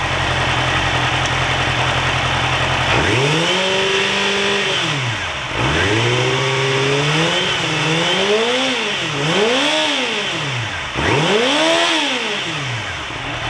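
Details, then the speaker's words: Yamaha YZF-R6 with fuel pressure gauge on the fuel line, blipped from idle: pitch rises and falls cleanly, but pressure sits below spec near 2.5 bar and drops under acceleration; ECU cuts power uphill; suspected bad fuel pump. "right guys as you can see we are below specs it's below right now is almost like um 2.5 2.5 bar so here under acceleration instead of um the gug going up it will come down a little bit"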